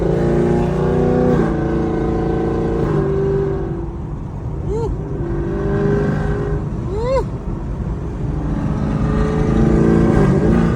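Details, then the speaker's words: 2022 Chevrolet Camaro SS V8 after exhaust leaks between headers and rear exhaust were fixed, driving with throttle blips: deep even burble climbing cleanly, no ticking or puffing; sounds healthy, ready for dyno tune. "Wait till that tune come. Let's keep it rolling. My man said, "Sounds real healthy.""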